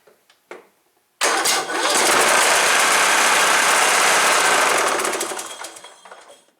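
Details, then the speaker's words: Cub Cadet LTX 1045 riding mower engine, first start after purchase: it knocked while mowing and was found with no oil before oil was added. After a few cranking clicks it fires and pounds with a heavy, regular knock about four per second, first taken for a rod knock; the cause is a loose counterbalance weight. "Ooh, yeah, that's definitely got a rod knocking. Holy crap, even knocked the sign off the motor."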